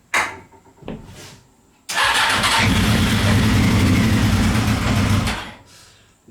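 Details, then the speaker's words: CBR 600 engine in reverse trike project, weak intermittent fuel pump, starter fluid sprayed: weak cranking, then catches and runs rough a few seconds before fading; starts only on starter fluid, suspected fuel delivery fault. "nice it's actually running let's turn the joke on there may be hope for this thing yet"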